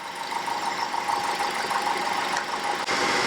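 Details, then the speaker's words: 2010 Ford Fusion 2.5L after CHT sensor (P1285) repair and valve cover leak fix: quiet steady idle hum with a faint mid-pitched tone, no knocks or misses, cooling fans not kicking on; normal idle. "all right so it's running no fans are kicking on i think we got it"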